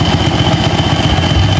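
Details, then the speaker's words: Rusi 110 motorcycle, battery-operated ignition, damaged wiring, after replacing faulty regulator that left two-day-old battery weak: quick, even single-cylinder idle beat with faint steady whine; idle smooth and settled, runs even without battery. "So yun mga bay, andar ng motor na to. Pinalitan natin ng regulator."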